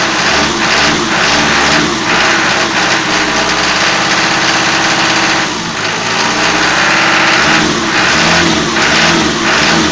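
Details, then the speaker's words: Toyota 4B diesel knocking after injection pump repair (plunger pair and nozzle replaced), cold in frost, after revving: busy clatter with light rhythmic knock easing as revs settle; nearly inaudible once warm; cause unconfirmed. "штук будет сильный пока свечи накаливания маленько не подаст минут потом чуть послабее а когда обороты упадут прогревочные штук будет немного слышала в основном услышал на улице когда мороз на улице и постукивает перед при перегазовке"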